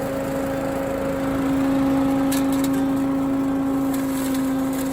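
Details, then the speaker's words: Billy Goat KV650SPH lawn vacuum with Honda engine at full throttle, choke off after a one-pull start, driving over leaves: steady engine drone with a constant fan hum and no knocks or surges; normal running under load. "You can just hear the power of that vacuum."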